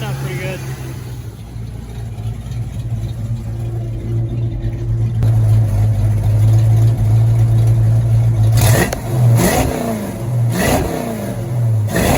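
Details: Original 1986 Mustang GT V8, long-sitting, after fresh fuel: low idle that hunts and stumbles, with uneven throttle blips. Sounds like a missing cylinder; later hesitant on a test drive.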